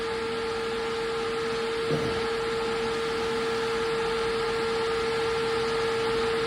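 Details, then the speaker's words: 1995 Mustang GT with a new 16-inch Proform brushless straight-blade cooling fan: quiet, steady single-tone hum with smooth airflow hiss and no rattles; normal. "you'll be a to hear how just how quiet it is and I turn it back [Music] off it's got several small fan blades this is the straight uh blades it's still slowing down"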